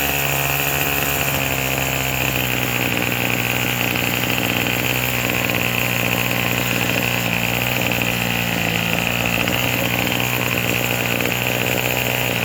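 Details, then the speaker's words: Craftsman 27cc two-stroke string trimmer, made January 2013 and obtained free: a steady, buzzy drone holds an even pitch with no surging or stumbling; normal running, it runs and idles cleanly and sounds pretty good, though it is smoking. "Let's give it a try. sounds pretty good. Yeah."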